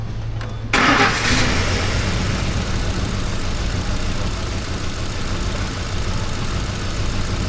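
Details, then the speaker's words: Ford 5.4 L Triton V8 truck after repair with customer-supplied timing chain and phaser parts: engine catches into an uneven, lumpy, shaking idle with stumbling beat; misfire traced to failed cam phaser. "Definitely a misfire. You see that thing shaking? Shaky shaky shaky."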